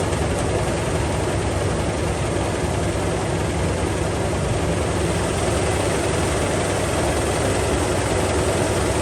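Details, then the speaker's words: 2001/2002 Toyota Tacoma 3.4 V6, automatic, idles roughly with a lumpy low beat, shaking, odd noise and heavy smoke; first thought a valve, now unsure, possibly rod, misfire at idle. "como pueden ver la camioneta tiene un tembeleque y un ruido extraño y avienta bastante humo primero pensamos que es una válvula pero ahora no creo porque creo que es bastante humo"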